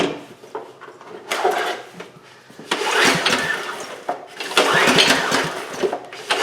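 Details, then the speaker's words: 2008 Homelite HG1800A 1800 W generator, non-runner after finding the kill switch mislabeled, starting-fluid test: ragged cranking bursts that sputter without settling; ran briefly on starting fluid, confirming compression and spark; carburetor work still needed. "all right so there we start get something I think it wants to okay so there that that ran for us a little bit on the starting fluid so that means we that compression and it is getting spark"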